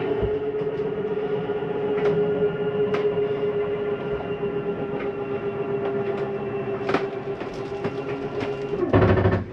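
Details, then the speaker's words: 2022 Jayco Jay Flight 34RSBS travel trailer, bedroom slide-out retracting: steady motor drone for several seconds, then the note drops and clunks as the room reaches full retraction and stops itself. Normal end-of-travel noise. "I wanted you to hear that noise. That is just the slide mechanism telling itself not to come in any further."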